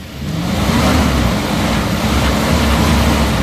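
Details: 1997 Toyota Liteace in neutral, revved with the cap off, which is not pushed up: it revs up cleanly and holds a steady, even note with no misfire or knock. The engine is tight.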